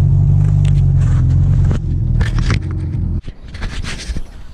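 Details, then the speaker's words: 1991 Mitsubishi Galant VR-4, custom turbo kit with Precision 5558 turbo and custom turbo manifold, E85 tuned: loud raw rasping exhaust with sharp crackle on each pulse like an open header, from a cracked turbo manifold leaking exhaust. "guys as you guys can tell the Galant does not sound good it sounds like a open header well it is"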